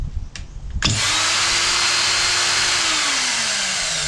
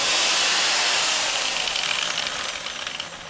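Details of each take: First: Ryobi electric line trimmer reassembled after gearbox inspection, earlier noisy with suspected bad bearing and power loss: motor snaps up to a smooth steady high whine, then coasts down evenly with no grinding or rattle; spins freely. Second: Ryobi line trimmer after reassembly; owner suspects the small head gearbox, which earlier was noisy like a bad bearing and then lost power: a high whirring spin that sags and fades under cutting load. Loss of cutting speed under load.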